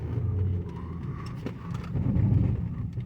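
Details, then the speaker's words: 2018 Nissan Murano AWD Platinum, hard braking on snow at decent speed: low buzzing pulses in short bursts over tyre rumble as the ABS pump/module servos cycle; normal ABS activation. "do you hear that sound those are servos on the abs pump abs module abs anti-lock braking system"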